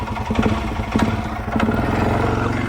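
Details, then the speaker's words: Cat RT Mud Pro factory mud ATV, used, leaky, heard on a test drive before purchase: loud, rough clattering idle with uneven knocks swelling and fading over a deep engine drone; owner jokes the engine is about to explode, source undetermined. "you heard was the freaking engine about to explode, but that's fine."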